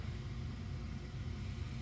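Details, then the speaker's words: Gas furnace on call for heat with gas valve switched off, pressure switch closed and igniter heating: quiet steady low hum from the draft inducer, no rattle or whine; inducer motor running smoothly. "we're going to call for heat we have our inducer our pressure switch has closed our igniter is starting to receive voltage and is getting hot"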